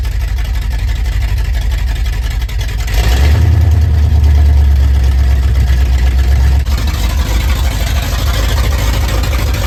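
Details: Built 351 Windsor V8 (likely small cam, roller rockers, gear-driven timing set) in 1980 Ford F-150, fresh VR1 oil, accessories and power steering fitted: deep lumpy idle swelling with a throttle blip and settling evenly; sounds healthy.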